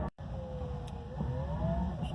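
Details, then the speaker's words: Enclosed mobility scooter creeping along slowly after WD-40 squeak fix: smooth low drive hum with soft motor tone rising in pitch, no squeak heard; fix appears to have worked. "And that is a very good thing, because like I said, it was really annoying, and I felt kind of cheapened the car a little bit, like, cool car, shitty about the squeak, but yeah, it's a lot better now."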